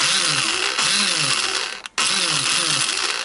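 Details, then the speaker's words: Free salvaged 110cc Chinese ATV engine (little compression, rings suspected seized or worn): starter motor bench-powered off-load gives a high, fast, steady whirr that cuts out briefly and spins up again; starter turns freely, alive and healthy. "let's see if father's starter is alive I'm going to put some power to that and we'll see if we can't make it spin around"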